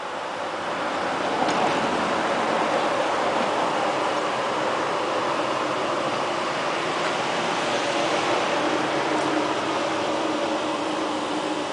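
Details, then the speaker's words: Clear Channel digital billboard in Kent, Washington, about 30 ft high, outside about 60°F, heard approaching from 150 ft: steady even rushing hum, no knocks or rattles; normal cooling fan running. "I'm here in Kent Washington on one of the Clear Channel outdoor digital Billboards and we're measuring the sound from the cooling fan"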